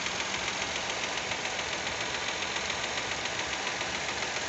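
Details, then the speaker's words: Fiat Argo 1.0 Firefly engine at hot idle with fast, even light ticking, about three or four a second, that the owner calls tappet noise. He finds it odd because he believes the tappets are hydraulic; cause unconfirmed. "ele quente faz esse barulho de tucho eu tô gravando pessoal porque eu achei meio esquisito barulho porque se eu não me engano esses tucho desse motor do firefly ele é hidráulico"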